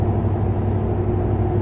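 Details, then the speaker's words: 2007 Ford F150 driving on the road: steady low engine and tyre drone with a rough, ragged edge from a known exhaust manifold leak. "exhaust manifold leak just kills it though that sounds awful"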